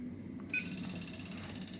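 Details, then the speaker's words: Siemens piezo common-rail injector assembly on a tester, torqued about 55–60 Nm: rapid pulsed beep about fourteen per second; injector not yet correctly tightened. "and that's perfect as you hear its beeping it didn't stop it started leaping and now it's just a straight beat this means that you've done your calibration wall and"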